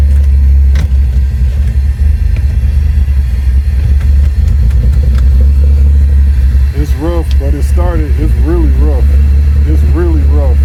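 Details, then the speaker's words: 1999 Mitsubishi Eclipse at its first start in 2 years, after a wiring harness patch and new ECU install: a deep, uneven rumble that won't settle; rough running, cause unknown. "it's rough I don't know why it's rough"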